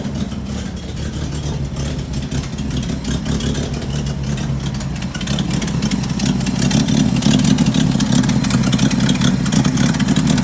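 Rough idle climbing into revs with a sharp, fast puffing tick riding on the engine, getting louder with throttle; a leaking exhaust.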